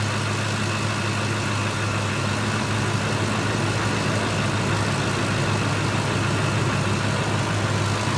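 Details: 2005 Ford F-150 5.4 Triton V8 rough, loping idle that then dies; fuel starvation because the fuel pump driver module above the spare tire had its housing corroded off, exposing a circuit board that likely shorted after rain; replacing the module fixed it.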